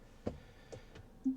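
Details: Tesla Model Y Performance: a few faint, sharp ticks from the rear in a quiet cabin when creeping forward at very low speed, then stopping; not in reverse or while driving, intermittent, cause not identified.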